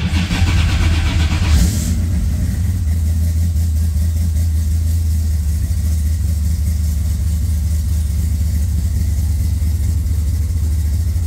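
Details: Car started on its starter button after a battery that had gone dead for no known reason: brief cranking, then it catches and settles into a steady even idle, no misses or knocks. Normal start and idle.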